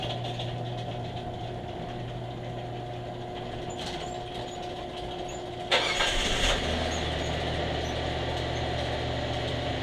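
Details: 2008 Kia Rondo with code P0441 and stalling after refuelling, started after the evap purge valve was replaced: it catches quickly and settles into an even, steady idle with no stumble or miss; normal start and idle.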